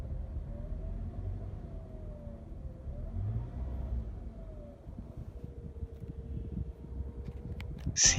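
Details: Toyota Camry ACV40 at idle with a thin, wavering whine that sounds like a failed bearing, coming from the front of the engine; the cause is a failed alternator diode, and the alternator is to be removed to replace the diode.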